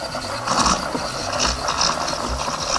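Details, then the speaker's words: De'Longhi Dynamica FEB 3515.B steam wand, machine hot, frothing milk; steady hiss with soft bubbling surges as milk is stretched; wand and steam supply working normally. "voilà la mousse elle commence à prendre une belle forme j'ai des micro buulles voilà je vais pouvoir couper"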